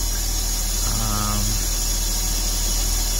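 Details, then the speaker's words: 2003 Porsche Boxster idling during engine bay cleanup of heavy oil buildup (source unknown, owner wonders about the air-oil separator): steady even idle, no vacuum leak hiss heard. "don't hear any vacuum leaks or anything like that, so far everything sounds good."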